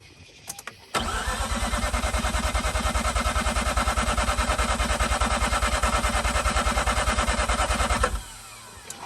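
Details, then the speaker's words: 2004 Mazda RX-8 manual, unstarted for 2 years, cranked with a 200 A battery boost. Steady cranking at about three pulses per second for seven seconds with no firing; the flooded rotary won't start. The belt shredded during cranking. "Okay, so it does not want to start right now. But anyways, let me try to just begin with a deflate procedure."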